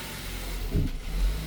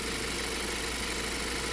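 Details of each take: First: 2020 Ford Transit Connect on startup: low rumble that bogs and swells unevenly, rough stumbling idle with temp gauge pinned hot and codes P1299, P017D, sometimes stalling; traced to a failing alternator. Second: 2020 Ford Transit Connect idling after fix of false overheating codes P1299/P017D, temp gauge pinned hot and rough idle; quiet steady even hum, no rattles, misses or surges, codes clear; normal idle.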